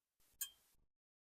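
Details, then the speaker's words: Pottery glaze of two coats birch and two coats Cordovan (order reversed inside and out) pinging and tinkling as the fired piece cools, with pinholes and crawling; one faint high ping in near silence; glaze crazing suspected. "And the other thing is it is tinkling a lot. It is really pinging. I don't know if you can hear it."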